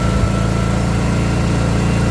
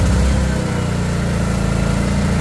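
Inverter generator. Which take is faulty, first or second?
second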